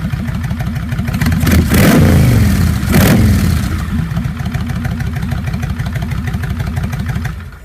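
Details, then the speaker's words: 1999 Kawasaki Vulcan Classic 1500 V-twin with a Kuryakyn Hypercharger intake, which had rattled at certain rpm: it idles, blips twice and settles with no rattle, after a zip-tie piece along the throttle butterfly shaft, about 100 miles later. "it eliminated that rattle so it it was a pretty cheap fix i've got about 100 miles on it now and it stays right there"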